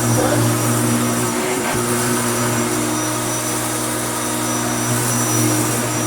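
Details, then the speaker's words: Restored Hoover Turbopower U2724 upright vacuum with a new belt, on heavy carpet, sticking down well and hard to push: steady, even motor hum with constant tone, no rattles, scraping or speed changes; normal, healthy running. "let's find some power and i'll show you what it sounds like now so with it slammed to the floor it really does stick down well and it's quite hard to push"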